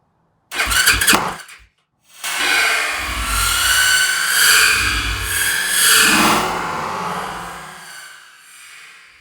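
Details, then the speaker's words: Yamaha YFZ450 rebuilt single, first start after carburetor mid-body rebuild and rejetting: short crank, pause, then catches ragged and revs unevenly before fading; owner suspects carburetor is off, likely lean, hard starting. "Alright, well, I think our carburetor's off. Something ain't right. It wants to fire."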